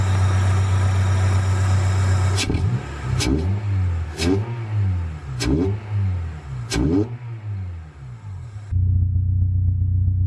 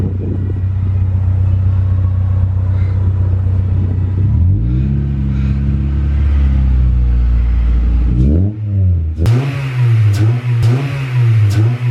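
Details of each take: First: H22A4 Honda Prelude after throttle body cleaning and new K&N pod filter air intake fixed its low (about 400 rpm) rough idle: strong, even low note climbing and falling through quick blips, no misses or hunting; healthy. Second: H22A4 Honda Prelude that idled low (about 400 rpm) and rough; just after throttle body cleaning, engine revs up and settles, then idle turns lumpy and dips unevenly while cleaner burns off, smoking; expected to smooth out.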